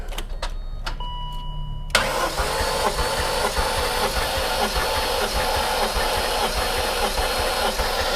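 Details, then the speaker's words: High-mileage supercharged S62 V8 BMW E39 M5 compression test, later cylinder about 174 psi: after a pause, fast, even spin with steady pulses and no dragging; healthy cranking. "But definitely, say that that battery was definitely cranking faster then."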